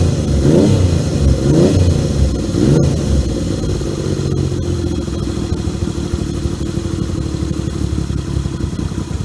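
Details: 1978 Yamaha XS750 Special triple, first run after a three-week revival, kick-started on choke: fires up, blips cleanly a few times, then settles into a steady, even run with no misses or knocks.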